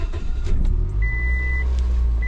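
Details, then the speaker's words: Warm Scion engine with low compression in cylinders 3 and 4 and heavy oil consumption, run warm with oil added: steady, even idle with no misfire stumble for now, though the engine will soon need replacing. "So it sounds pretty normal for the most part. It's not missing right now, but it's definitely gonna need an engine soon, I can tell you that."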